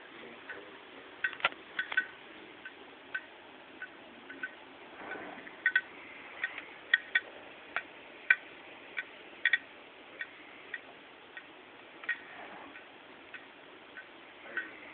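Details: Hitachi 5400rpm hard drive in a MacBook Pro Late 2008, about 8 months old, desk-bound, suddenly started sharp dry clicks, sometimes in pairs, at irregular gaps over faint hiss; hard drive failure suspected, not confirmed.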